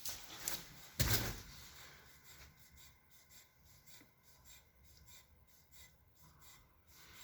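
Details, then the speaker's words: Wheel bearing check on a car, wheel spun by hand after the 12–6 and 3–9 shake test showed no play: a couple of handling knocks, then only a faint soft rub, no grinding; bearing in excellent condition. "तो आपने देखा कि skin पर बिल्कुल कोई आवाज नहीं है तो इसका मतलब है यह एक बेहतरीन कंडीशन के अंदर"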